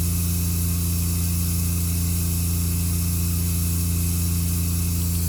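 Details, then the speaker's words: Concession trailer water pump switched on at startup with water in the tank and water heater plugged in: steady even low hum, no surging or rattle; normal water pump operation. "at startup got water in the tank water heater plugged in water pump switch on"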